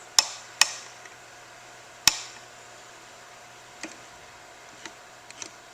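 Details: Watch winder's left-side motor, powered on, gives sharp scattered ticks about one every two seconds over a quiet room with no smooth whir; motor not turning cleanly, owner suspects faulty motor needing replacement, panel to be removed for inspection.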